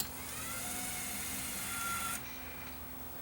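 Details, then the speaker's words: Luxman KX100 cassette deck, motorized door motor after repair: steady whir about two seconds, brass cam switch stops and locks it, small kick on power release; panel drive working properly. "and then the switch signals it to stop turning and it locks it there until you release the power and then when you release the power it kicks it just a little bit more just to go past that"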